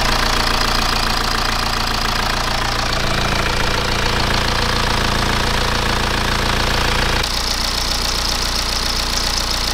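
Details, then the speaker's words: BMW E87 1 Series N47D20 177 hp diesel at idle after reassembly: steady normal clatter, earlier noise gone, though an internal engine issue remains under the valve cover. "as you saw guys after assembling everything uh it looks like that the sound is gone but still as we saw we have an issue inside the engine"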